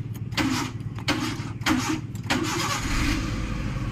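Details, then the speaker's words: Maruti Suzuki Eeco after the starter repair (solenoid coil burnt by excessive cranking, auto switch replaced): short cranking bursts, then the engine catches and settles to a steady, even idle with no grinding or clicking; normal cranking and start. "গাড়ি ভাইজান কথা বলতেই হবে, রাস্তায় শুধু দৌড়বে, বোঝা গেল?"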